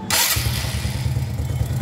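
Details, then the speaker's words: Honda Biz 125 that had extreme difficulty starting, after the carburetor was replaced with a new one (new piston valve): it starts first try into a steady, even single-cylinder putter with no misses. Normal start; the fix worked. "Já coloquei a mangueira de combustível, ó, instalada. Vamos dar partida aí. Pegando normal,"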